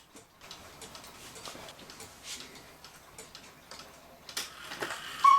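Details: 1940 Lux cuckoo clock with a one-day double-weight movement, reassembled, described as almost brand new: light, even ticks in a quiet room with no drag or skipping; it is running well.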